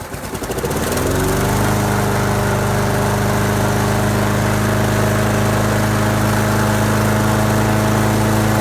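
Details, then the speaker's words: Roadside-salvaged lawn mower, restarted after a quick repair and priming, compression confirmed: pulls over, catches within a second, settles into a steady even drone with no hunting or misses; runs pretty good, normal running. "alright seems to run pretty good so mm-hmm just goes to show you know you can fix anything pretty little buck if you want to anything"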